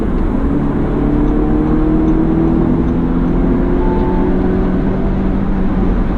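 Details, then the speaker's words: 2019 Audi S3 sedan four-cylinder, accelerating hard on the freeway from about 55 to 90 mph: smooth, even engine note climbing steadily over road hum, no knocks or strain. Healthy engine under hard acceleration. "The engine sounds good, even tho"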